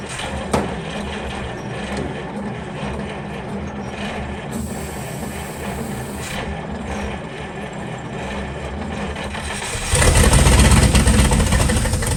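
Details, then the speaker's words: 1940 Cadillac 346 flathead V8 barn find started on ether after about 20 years, no exhaust fitted: loud open-pipe chuffing evenly at fast idle, swelling when revved; sounds healthy. "So, and she sounded pretty healthy. Now, there's no exhaust, but that sounded pretty healthy."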